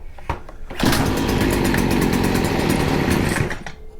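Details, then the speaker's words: Stihl FS40C trimmer, carburetor mixture being adjusted, no choke: catches about three seconds at a ragged, uneven buzz then dies; rough running. "that obviously wasn't the greatest so let's lean it in a little bit okay that's rich in it"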